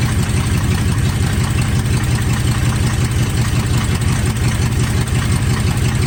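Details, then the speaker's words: 1980 Chevy K30 squarebody, TH350 automatic after fluid, filter and pan gasket service plus a fluid top-up: deep steady idle, no slips or clunks, transmission trying to go in drive and reverse; the front driver's caliper is locked, so the truck won't move. "holy we have a transmission holy all right so that's a really good sign"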